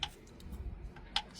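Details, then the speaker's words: 2014 Mazda CX-5 2.0 diesel: sharp metallic ticks through low rumble; silver metal filings in drained oil; knock traced to cylinder 3 big end, rod bearing shell found completely gone; engine previously opened. "So, our noise was coming from the big end that is on cylinder number three. This is where ticking sound was coming from."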